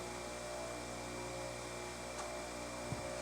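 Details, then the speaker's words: Rotor during four-run balance without phase, after placing a correction weight (vibration from about 0.80 toward 0.27 in/sec): steady even motor hum, constant tone, no throbbing beat; running smoother, some unbalance left. "Boy, that sounds smoother already, though. Let's see what we get."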